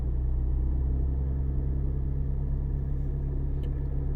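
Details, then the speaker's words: Lexus IS200 six-cylinder petrol engine idling smoothly with no stumbles after an ignition coil replacement; OBD misfire counters read zero on all six cylinders. "ale jak widać nie wyskakuje żadna wypadanie zapłonu wszystko jedno zero to oznacza że wszystkie cewki są tym momencie sprawne"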